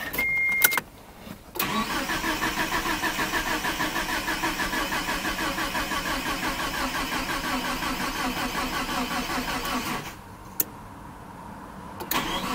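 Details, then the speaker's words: Galant VR4 after a long slumber, weak 4-year-old battery on a charger, relay refitted: long steady starter churn at about three compression beats a second for eight seconds, not firing yet. Extended cranking before first start. "Have everything hooked up, right? Spark, fuel. Put the relay back in. It should start. Alright, well I guess I'll hook up the battery charger again. It was probably going to take a couple tries."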